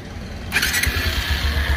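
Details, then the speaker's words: Bajaj Pulsar 220cc at 13,017 on the odometer, after repair of a hammering gadgad engine knock: quick catch after short crank, then a low steady idle thrum with no hammering rattle; clean, healthy start. "ये देखो भाई, वाकई में भाई मस्त sound हो गया।"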